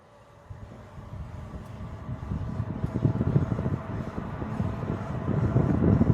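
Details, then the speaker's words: Tesla Model 3 driving after the rattling plastic aero wheel covers were refitted and secured with cable ties: road and tire rumble builds with speed, no rattling or clicking from the wheels. "As you see, the car is not making any noise from the wheels now. I fixed the problem with the cover, the plastic cover, what makes the noise."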